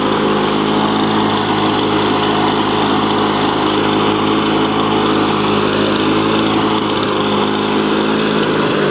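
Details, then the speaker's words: 2001 Lawn-Boy DuraForce two-stroke mower after cleaned fuel system and rebuilt carburetor: high steady buzz holding constant speed without surging or dropouts; runs as it should. "then you can see running and this is how a machine should run typically if it's in relatively okay shape"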